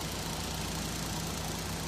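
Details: Suzuki K6A turbo three-cylinder in a DA64V van idling after repair of a broken exhaust valve (earlier misfire, shaking, low compression on cylinder three), thermostat removed, aircon on; smooth unbroken note, no misfire or knock, healthy.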